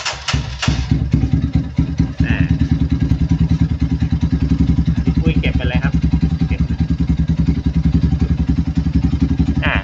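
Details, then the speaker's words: GPX Legend Gentleman 200 single-cylinder motorcycle started right after oil change and strainer cleaning: even single-cylinder thump settling into a steady idle, no tapping or rattle; engine sounds healthy. "ทีนี้เดี๋ยวจะให้เค้าลองติดเครื่องนะครับให้ท่านผู้ชมลองฟังเสียงGPSLegendgentleMan200นะครับ"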